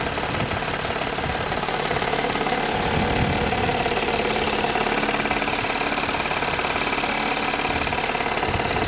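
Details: Toyota 3.3 V6, warm idle: steady quick knocking, roughly three or four taps a second over engine hum, from the intake manifold side; owner unsure whether rod knock or intake manifold leak, not confirmed.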